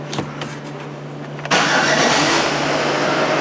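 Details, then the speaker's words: Chevy truck, flex fuel, complaint of running rich and hard starting, very cold day, started indoors before closed loop: brief cranking, catches cleanly at about a second and a half and settles into a steady idle; short-term fuel trim about -10. "hooray it starts better we gotta wait for this nick close loop and now we'll see where our fuel trims settle out here"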